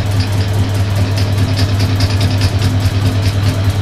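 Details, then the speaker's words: Suzuki GS550 being converted to fuel injection with used Triumph parts, cranking while the crank position sensor is tested. Even low chuffing as the engine spins, with a steady quick ticking of injectors firing; the counter reads 560–570 rpm, as expected. "the injectors are definitely firing and we're seeing an RPM on the uh on the red counter 560 to 570 which is exactly what it should be"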